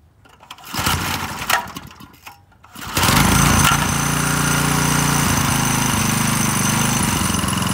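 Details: McLean 3.5hp Briggs and Stratton edger, sat for years, after carburetor tuneup and oil change, final start: a few pulls then the single catches and settles into steady even drone; starts cleanly, runs healthy.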